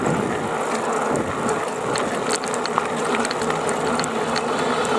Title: GoCruiser rattling noise between 670 to 725 watts